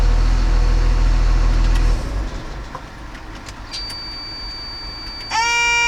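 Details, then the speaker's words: Machine that often failed to crank at the key, after the start relay was replaced and the neutral and safety relays were cleaned; deep, even diesel thrum for a couple of seconds, then it drops back and a horn-like tone comes in, running smoothly. "so you saw after changing the strata-ray and cleaning other relays like neutral and syphilis I succeeded to troubleshoot this real Staton problem now there is no more any problem"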